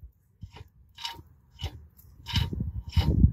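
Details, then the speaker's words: 2007 Pontiac Torrent front wheel: intermittent gritty scraping crunches as the rotor turns, from a snapped ABS sensor wedged between a bent backing plate and the rotor. "noise at grinding noise the ADF sensor is wedged in there"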